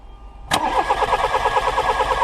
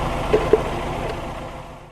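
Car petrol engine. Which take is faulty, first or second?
first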